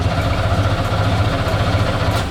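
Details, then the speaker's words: Starter spins the engine at an even, quick pulsing beat without catching on a long-abandoned Camaro Z28 1LE race car; oil pressure reaches almost 60 psi, but there is no fuel pressure, so it cranks with no start. "we have no fuel pressure though that's that might be a problem"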